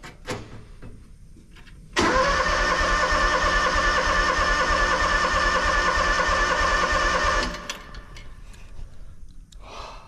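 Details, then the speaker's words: Engine on new 500-unit seed tender, battery just reconnected via kill switch; starter churns about three beats a second for five seconds with no catch. Owner suspects fuel may be turned off. Cranks but won't start. "Well, I don't know if it's gonna start."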